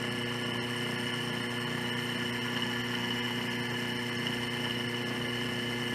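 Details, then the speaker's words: Washing machine with spin-cycle noise: drive motor removed, belt off, run directly on the bench in spin direction with no load; steady humming whine with a faint rough edge, bearing noise suspected, fault points to the motor. "Veja que já podemos ouvir barulho de rolamento. Isso aqui está leve, está fora da parte mecânica."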